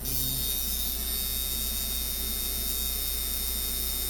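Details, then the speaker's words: eBay Micky Sharpz hybrid clone coil tattoo machine after tuning, around 130 Hz, 52% duty, 7–8 V: steady even buzz with fine rapid hum, holds speed, seems to run a little better at 8 V. Normal running. "it sounds like it runs a little better at 8 volts and gets a little it goes from like hitting soft to like hitting really hard fast"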